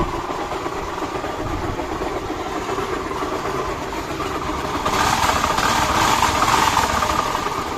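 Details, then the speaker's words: Honda Activa scooter engine running with a rough, rapid knocking rattle at idle, about four beats a second; engine opened and crankshaft bearing found completely broken; crankshaft bearing noise. "इसका crank का आवाज की वजह ये bearing है। ये देख सकते हैं। ये इसका बैरिंग सारा टूटा हुआ है।"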